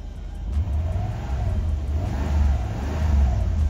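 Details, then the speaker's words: Mercedes C126 after replacing plugs, wires, cap, rotor, filters and ICV hoses for a misfire, air cleaner off: swells smoothly through a few blips and settles without stumbling or popping; firing even, sounds better. "but that that sounds better let's let's give it a second I'll check back in and let it idle for a while so it's still nice and"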